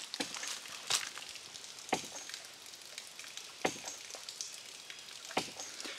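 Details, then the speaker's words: One-inch ram pump in a creek, after draining its waterlogged pressure tank: soft, even clicks about every 1.5 seconds over trickling water, no hard cracking hammer in the drive pipe; normal cycling. "i don't know if you can hear the difference with the way the ram pump is clicking"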